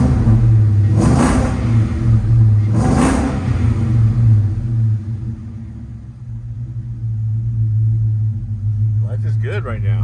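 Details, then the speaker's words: 1963 Ford Galaxie wagon V8 while driving after fixing a small exhaust leak that sounded like a bad lifter; deep even exhaust rumble, no ticking or puffing; normal exhaust note. "you hear a weird every little weird little noise you're going to be thinking the worst possible case scenario but now it's sounds like a brand new Ren a"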